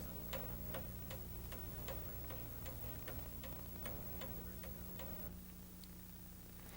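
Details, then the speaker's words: Eight-day American striking clock, pendulum beating just under 153 per minute: soft even ticking over a faint hum, steady and regular, in beat; normal clock ticking. "the movement is regulated by a pendulum which beats just under 153 times per minute"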